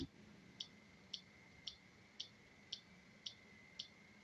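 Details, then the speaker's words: Relay in a feedback-loop oscillator slowed by a capacitor: sharp relay clicks repeating evenly about twice a second in a quiet room; contacts cycling slowly as intended, less rapid oscillation than without the capacitor. "do you see that it's flicking back uh but because of the effect the capacitor is having we're not getting that rapid quite so rapid oscillation uh that we were before"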